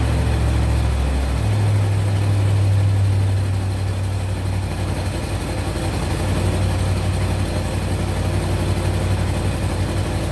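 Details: 1970 Mercury Cougar V8 after a broken engine wiring harness was repaired, started with the key for the first time: a short start, then an even, steady low idle with no knocks or misses; runs healthy.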